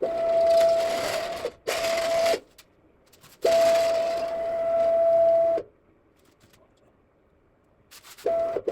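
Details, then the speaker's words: Homemade CNC router, worn and long-used: steady high squeal whenever the X axis moves, stopping when it halts; X-axis ball nut worn, replacement ordered. "At this point, I've already ordered a new ball nut for the X-axis, and we'll take a couple days to get here. Uh, so that'll probably be in the next video when I install that and quiet this machine up a little bit."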